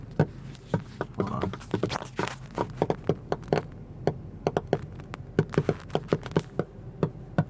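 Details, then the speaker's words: Car audio: sharp, uneven pops and crackles about twice a second from only the passenger-side rear 6x8 speaker. Cause unknown; owner doubts a ground fault since only one speaker is affected, and questions the speaker wire and RCAs. "only coming from the passenger side rear 6x8 and yeah it's just doing that there's only one one speaker so I don't really I didn't think it would be ground blue speaker wire rca's I don't know anyone got any ideas let me know"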